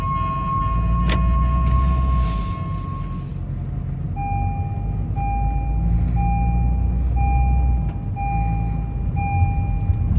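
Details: Idling car with the steering wheel turned right: a thin, high-pitched squeal in short, fairly even pulses from the left front tire; source unconfirmed.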